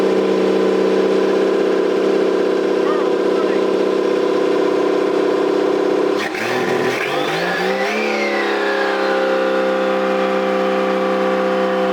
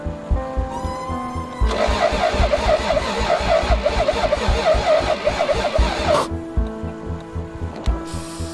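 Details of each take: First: Toyota 7M-GTE straight-six (MA70 build) after a four-month rebuild, no exhaust fitted, intercooler piping bypassed, no idle air control valve. Raw open-pipe note holding steady, a quick rev midway, then settling back to an even run with no misses; normal running. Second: Toyota 7M-GTE straight-six (MA70 build) being started after a four-month rebuild, cold start injector not fitted. Even cranking chugs, then a ragged catch that stumbles a few seconds and dies, because the crank position sensor was mounted out of position.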